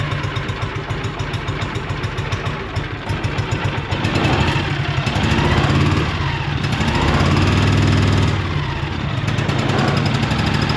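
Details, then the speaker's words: John Deere Gator 6X4 auction buy, sat since 2014 (mouse-chewed wires suspected), fuel and oil checked: small engine thumps at a quick, even beat, picks up briefly with throttle, then settles cleanly and steadily; normal running. "that's a good little engine"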